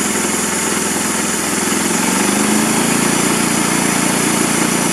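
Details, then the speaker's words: Briggs engine powering a Frontier OS27 bandsaw mill with a fuel delivery problem, after blowing air through the carburetor main jet: runs steadily on its own and settles toward a slightly uneven but continuous idle; normal idle, possibly partly fixed. "but at least it's one idle well at least it's wanting idle so we may have uh we may have been a little bit successful"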